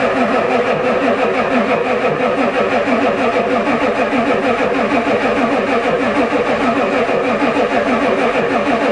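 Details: Ford diesel truck at +4 °C, long steady crank about three beats a second on the two best batteries, never catches; the new glow plug controller never clicked, owner suspects it doesn't work.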